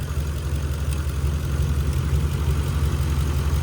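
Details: 2011 Ram 1500 5.7 Hemi 4x4 idling on a temporary jumper bypassing the failed fuel pump relay inside the TIPM, after two months of crank-no-start: low steady V8 rumble, even idle, no stumbling or misses; normal idle.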